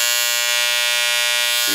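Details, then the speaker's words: Wahl Senior hair clipper: loud, steady high-pitched buzz with a sharp edge because the power screw is turned in too far; forward makes the blade move faster, back reduces power. "let me explain to you what that sound is and why that happens okay now here's this little screw right here is very important this screw is your power screw"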